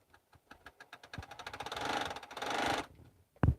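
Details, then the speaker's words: Sewing machine stitching on interfacing, oiled earlier that day, stitch still good: uneven run of light clunks with a heavier thump near the end; sounds different than before, cause of the clunking unknown. "see how that that just sounds weird to me i don't remember it sounding like that before"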